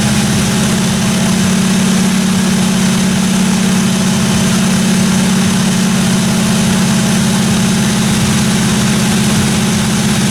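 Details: 1957 Chevy 210 project car, carbureted engine idling during roughly 20-minute cam break-in run: steady, even idle, smooth low rumble, no ticking, knocking or other weird noises from the valve train; normal idle.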